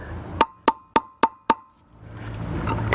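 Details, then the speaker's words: Boat trailer hub, installing new bearing race by tapping evenly around its perimeter: five sharp evenly spaced hammer taps, about four a second, slightly hollow ring; race not yet seated, still a gap to the hub ridge. "objective is to is to get that race to be sitting on the hub kind of Ridge there and there's a sound more solid sound that you will you'll get once the once the race is sat"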